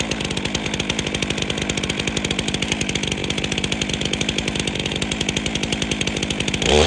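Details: Chainsaw restarted after about 3 years unused, on fresh fuel, switched from choke to the run position: a fast, even two-stroke putter holds a steady idle with no stumbling or surging, running cleanly.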